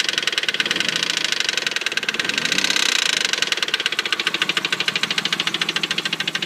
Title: 98 3000gt Sl engine knock